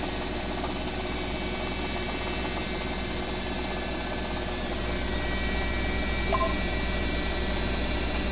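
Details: Owner's BWS24 washing machine on a 4-minute spin: a steady, even hum with a thin high whine on top and no knocking or scraping. A healthy spin cycle, unlike the neighbour's noisy Midea HealthGuard.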